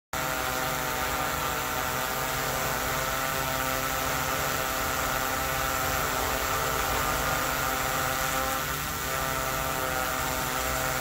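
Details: DJI Mavic 3 in flight: steady, even high whir from the props with a constant pitch and no wobble or shudder; the drone sounds healthy, with no leg vibration.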